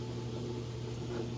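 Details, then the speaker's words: LG direct-drive top-load washer with TrueBalance at full speed on the final spin with a heavy load of towels and jeans: smooth constant low hum, no shaking, thumping or movement; balanced, normal spin. "not shaking or bumping or anything like that it's kind of surprising I'm not getting any movement out of it considering how heavy that load was"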